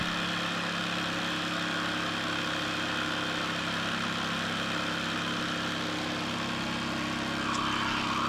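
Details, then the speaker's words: Cheap generic jigsaw after repair of damaged gear bushing/bearing, cutting with original Makita blade: steady even motor drone with fast regular blade stroke under load, no grinding, knocking, excessive sparking or heating; normal jigsaw cutting. "this is the original Makita blade and it works really really nice"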